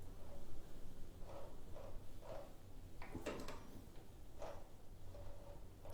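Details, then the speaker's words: Royal Enfield Himalayan engine turned backwards by hand during a valve check: slow, irregular creaky clicks with noticeable resistance as the starter clutch tries to engage the wrong way, which also loads the cam chain tensioner. "Now, that ain't right, is it? That's trying to engage the starter clutch. It's going the wrong way."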